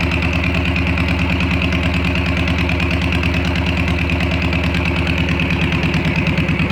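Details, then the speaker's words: VW Bug engine in a new car after redoing the fuel system and slightly adjusting the timing: catches quickly and settles into an even, steady chugging idle with no misses or knocks. "all right so we got it fired up"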